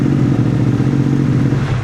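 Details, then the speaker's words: Moto Morini X-Cape 1200 V-twin just after starting: loud, low, lumpy idle rumble, steady then easing off; owner says the V engine is noisy at start but quiets when riding; normal cold-start idle, no fault. "Kuat bunyi tu. Tapi masa jalan tak bunyi. Engine V memang macam tu. Dia masa start dia bunyi bising. Bila jalan dah hilang dah bunyi."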